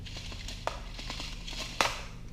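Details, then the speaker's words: Found-in-trash Troy-Bilt four-stroke string trimmer, engine not running: irregular dry crunches and sharp clicks as the spring-loaded pull-start is worked; recoil starter suspected damaged inside, not confirmed. "pretty messed up if it's making noises like that"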